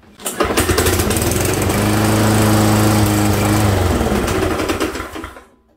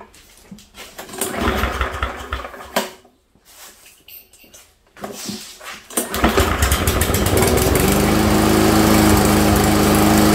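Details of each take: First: Lawnmower that hit a rock, runs fine: engine starts, runs steadily, then clunks several times while winding down after shutoff; loose blade adapter, blade was bent and replaced. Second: Walk-behind lawnmower that clunked at shutdown after hitting a rock, after repair: starts after a few pulls, runs smoothly with no clunk or rubbing, then shuts off.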